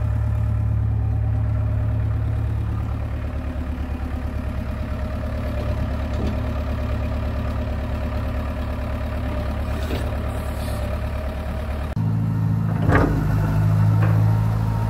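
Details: John Deere 490E excavator diesel with Hitachi hydraulic pump in limp mode, computer bypassed: steady idle with an even beat around three a second, slight lift under load; no longer bogs, running properly though slower.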